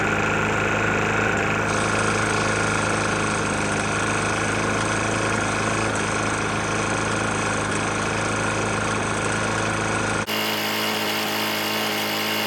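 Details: Murray mower with Briggs & Stratton E450 engine, oil found nearly empty and topped off: running steady with a hard, fast rapping knock about four per second over the exhaust note; internal knock of unknown cause.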